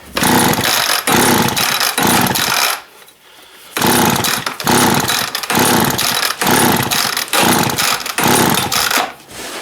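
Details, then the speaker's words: Long-stored two-stroke engine, fuel primed into carb by syringe: short ragged one-second bursts with pauses, catching and dying each time; fuel starvation from gummed carb, carb rebuild planned. "yeah she's got some mung in the carb i kind of expected that i'm sitting for so long"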